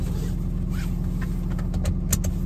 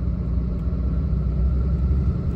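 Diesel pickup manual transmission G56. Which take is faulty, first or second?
first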